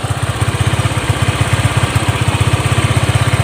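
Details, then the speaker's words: Honda Click 125 scooter after clutch work: quick steady single-cylinder thump that never drops, rear wheel turning slightly at idle; high idle, suspected faulty throttle body. "ล้อหลังมันหมุนนะล้อหลังมันหมุนหน่อยนึงอ่าเนี่นะอาการนี้น่าจะเกิดจากอ่าเรือนลิ้นเร่ง"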